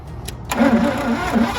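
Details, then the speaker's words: 1986 GMC Sierra engine, new distributor fitted, carburetor rebuild and new fuel pump planned; rapid, uneven cranking that never starts, owner fears flooding, and the starter is beginning to drag. "I keep saying one more time. Boy, I want to hear this thing run. It's close."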